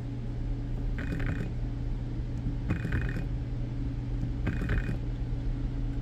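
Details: BMW E60 electric water pump bench tested dry on 12 V (pins 1 and 3 positive, 4 ground): steady hum broken by short buzzing attempts that rarely ramp up; pump motor failing, pump shot.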